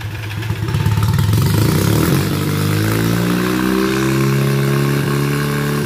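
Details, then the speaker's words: Rebuilt rotary engine for Ford Ranger swap, with factory manifold, still needing tuning and timing: catches within half a second, revs rise smoothly and settle into steady running; normal start. "easy as that doesn't get much easier than that so uh yeah i'm gonna call this a success thus far"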